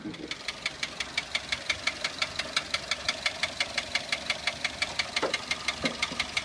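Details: Toyota 1SZ-FE contract engine from Japan, 32,000 km, knocking began 1,200 km after installation (bearings, valve clearances fine, no debris in pan): crisp even clacking about twice a second at idle; seized piston pin, skirt slapping cylinder.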